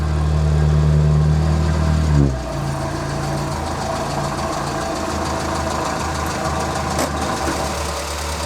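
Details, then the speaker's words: Morris Minor warmed up to temperature with the choke fully in: fast, slightly lumpy idle. The idle is far too high and keeps climbing, and the car is also running too rich. "Running a little bit lumpy, but also that idle is far too high, and it's only going to continue to get higher. I have fully put the choke in, it shouldn't be that high."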